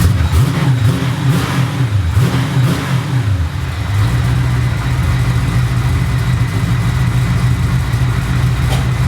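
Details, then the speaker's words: V8 with new homemade stainless X-pipe exhaust, mufflers dumping straight out the back with no tips yet, first start: loud deep burble, blips then lumpy idle; lighter whir heard over it, possibly water pump or alternator; exhaust normal. "actually sounds like you can hear what sounds like a water pump maybe over the exhaust or maybe it's the alternator whatever it is it's lighter than the exhaust is"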